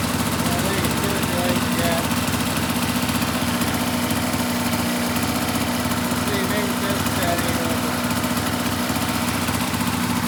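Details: 2004 RMK 800 two-stroke sled with SOP exhaust, Boyesen reeds; steady even idle burble with no misses, surges or knocks; healthy idle.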